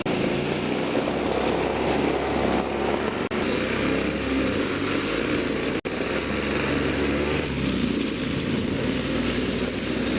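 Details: Toro two-stroke snowthrower test run after a carburetor diaphragm and carb kit replacement: high buzzy steady speed, no surging or sputter; runs cleanly after repair.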